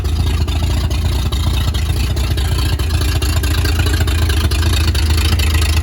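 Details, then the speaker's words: 1938 Chevy Master Deluxe six, chilly Alaska September, with rebuilt carburetor and starter from a 1942 G506: deep, even low beat about two pulses a second, no misfires or knocking; runs very well, normal idle. "this thing runs just way too good things absolutely awesome"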